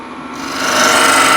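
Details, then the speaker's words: Dull scraper on lathe, end grain: rising dry rasp with thin squeal and vibration, only dust with heavy pressure and nothing on light touch; scraper rubbing, not cutting. "so I'm not actually getting anything off oh here here I have something but if I just use light touch then nothing happens and I got vibration as well hope you can hear that"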